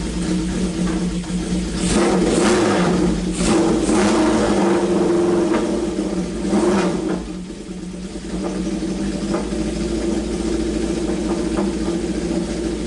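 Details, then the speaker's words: Classic Honda CB750 revived after sitting at least about two years (points filed, coil fitted, carbs cleaned, oil overfilled and drained to level); crisp blips rise and fall cleanly, then a smooth, even four-cylinder idle; normal running and revving. "but hey better to have too much oil than not enough but dang dude the thing runs pretty darn great"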